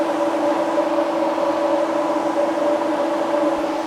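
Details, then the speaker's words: Road Runner's new ColdCase radiator, fan and shroud, fan switch grounded to test before adding coolant: steady even whoosh with constant mid-pitched hum, no rattle; fan moves plenty of air in the right direction. Normal operation, replacing the weak original pusher fan. "So we know we have a fan that works, and it moves a lot of air, and it moves it in the right direction, which if you remember is why we started this whole entire project."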